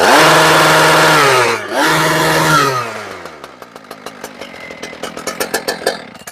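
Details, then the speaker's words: Husqvarna K970 two-stroke concrete saw, previously non-running, after servicing (fuel filter, primer bulb pumped): revs high then drops off and winds down to slow ticking as it coasts; starts and runs fine, no other issues. "So she fires right up, which is awesome. Means there are no other issues with that."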